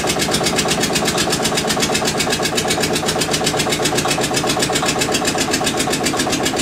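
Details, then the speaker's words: Witte diesel generator, unstarted 45 years, refilled with water and three gallons of oil: slow even beat about four firings a second, no misses, running normally; generator output only about 2.5 V across brushes versus ~64 V expected. "all right she's full of water put three gallons of oil in it and we're going to see what she does now"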